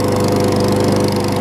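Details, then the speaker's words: Craftsman 21-inch self-propelled mower after repairs (replacement exhaust bolts, carb clean, safety cable zip-tie fix, key start removed): small single-cylinder engine holds steady speed, quick even beat, no misses; runs really well. "and it runs really well. Just had those little minor fixes that I needed to do."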